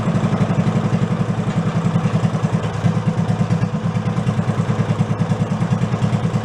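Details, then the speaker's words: Go-kart with a 16 hp single-cylinder engine replacing a 5 hp, fitted with the stock air cleaner: a slow, loping idle with a clack on each beat. The idle is set so low that the decompression valve engages; rpm needs raising. "Going down so low, the decompression valve is kicking in. I can actually hear it clacking. You gotta go up a little with the RPMs."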